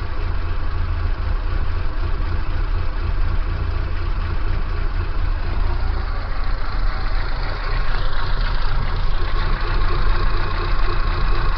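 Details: Kia Pride engine idling with abnormal shaking: loud, low, heavy idle that stays steady with a slightly uneven pulse; rough idle, cause unknown.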